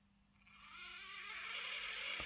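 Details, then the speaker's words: Lima Eurosprinter model locomotive on the bench, just after oiling the very dry worm gear shaft where it passes through: light, even high-pitched whir rising and holding steady, no screech; oil fixed it. "Yeah, there you go. Just a bit of oil, that's all it needs. I think it was this bit here where it goes through there was very, very dry."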